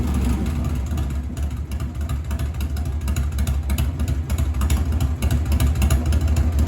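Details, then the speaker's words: 1997 Harley-Davidson Heritage Softail Classic, 80-inch Evo V-twin, new S&S Super E carburetor after lowering the idle screw about half a turn: low, steady loping idle with no stumble; idle now properly set. "The idle screw is real sensitive. I had it turned up about a half turn too high. So I'll start it up and check it out."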